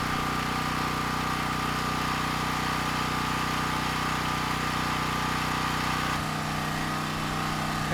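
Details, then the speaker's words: Champion generator with rebuilt Champion 458cc engine running on propane after a gasoline load test at 60 Hz: steady, even single-cylinder drone with no misses or knocks, smoother than on gasoline; normal running. "no issues getting the engine started on propane and it actually sounds like it's running quite a bit smoother as well"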